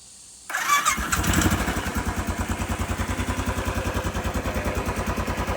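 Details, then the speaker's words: Royal Enfield Classic 500 during a lock set replacement, ignition on, kill switch on: quiet, then the single catches at once and settles into an even, steady idle thump with no misses; a healthy engine start. "All right, let's start it up. So kill switch on."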